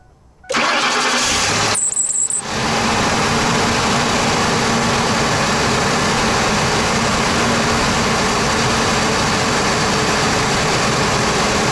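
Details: Van with intermittent hard start and stalling, camshaft position sensor just replaced, after a new Motorcraft FG1114 fuel filter and line priming: brief crank, then catches and settles to steady idle; owner unsure the filter was the cause.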